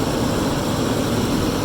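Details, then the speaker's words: 2006 Lexus LX470, 2UZ-FE VVT-i V8, just started after rear water bypass gasket, starter and air injection pump work; engine still cold on high idle, steady even hum with no knocks, ticks or misses; fan clutch then settles. Normal cold high idle. "Just great. There we can see it's still cool, obviously, so high idle."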